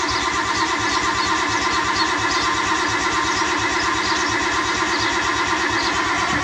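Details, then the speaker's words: Nissan R32 Skyline with freshly built engine, first start, after earlier oil pressure issues and oil pump check: steady, even cranking with no knocks or grinding to build oil pressure before starting; pressure achieved. "about to crank it so I'm gonna crank it for probably like 15 to 30 seconds just to build up some real good oil pressure"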